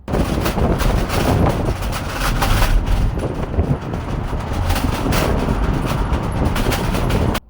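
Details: Tesla Model 3 driving: irregular plastic-and-metal clattering over road rumble from loose Aero wheel covers whose clips worked loose, especially in warm weather.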